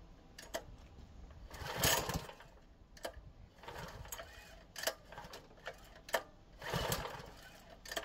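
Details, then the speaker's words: Craftsman 3000 PSI pressure washer small engine test-run after carburetor cleaning (fuel problem confirmed with brake cleaner); pulses and surges in short bursts, firing cleanly, starts right up and runs properly. "the engine started right up and sounds good that can only mean one thing it looks like another one is good to go"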